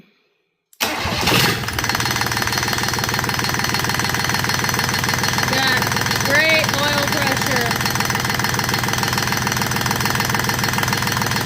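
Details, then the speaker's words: Rebuilt Yanmar 3GM30F marine diesel first run after overhaul, idle set to about 830–850 rpm: even diesel clatter at steady low idle after a sharp start, odd metallic clangs from hanging chain; good oil pressure, runs smoothly. "Man, that thing sounds great. Good oil pressure."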